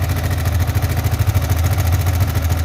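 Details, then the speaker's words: Yamaha Vixion NVL single-cylinder idles with a steady, fast dry ticking from the cylinder head; no oil reaches the head, so the valve gear is unlubricated; clogged oil passage, oil pump or oil filter suspected. "Oke ini sudah saya Nyalakan tidak ada tanda-tanda oli ya tidak ada cipratan oli sama sekali jadi bagian head ini kering tidak terlumasi oli jadi suaranya berisik dari sini ya"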